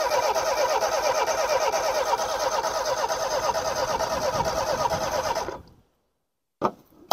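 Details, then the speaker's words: Homelite Stingray boat engine after carburetor cleaning and fuel system refresh: starter spins the engine in a steady chug about two beats a second for five seconds but it never catches; owner suspects ignition, possibly the distributor rotor. "give her a crank come on girl yeah it might not be well I don't think it's going to start today it doesn't sound like it wants to"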